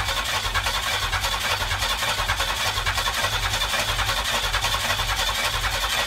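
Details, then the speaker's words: McLaren M6GT replica with GM 3.8L supercharged V6 from Bonneville SSEI: steady starter cranking about 105 beats a minute, never fires; crank no start, owner suspects computer needs flashing due to key security lockout. "at this point i'm starting to realize that the computer probably needs to be flashed uh there's a security lockout on these computers where if the key is not in the ignition that matches it to this computer that the car will not start"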